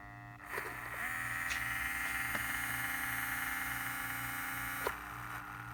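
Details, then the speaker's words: Small steering servo motor on a vintage 1978 Shinsei Fire Fox (Lamborghini Cheetah) RC car, revived after long dormancy and previously without steering: a faint steady hum with a thin high whine that starts, holds, then stops as it barely moves. This hum is normal. "so you can see it's just barely moving that humming sound they always kind of make that noise so this motor is coming back to life"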